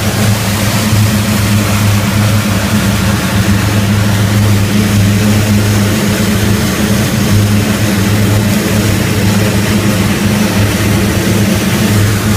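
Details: Rotec R3600 radial engine on test-stand dyno after mixture leaning (10–11 L/h) and magneto checks; deep steady even drone throughout with no misses or surges, healthy.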